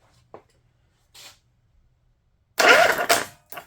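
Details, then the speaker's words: 21 HP Briggs & Stratton engine that sat in mud, on a cold wet day: short crank burst ends in a sharp harsh clatter as it kicks back hard on compression, stripping the new starter gear teeth; owner suspects compression release issue. "Wow, it hit hard. That's why it stripped the gears off. It's stripping the gears off that new tooth as well."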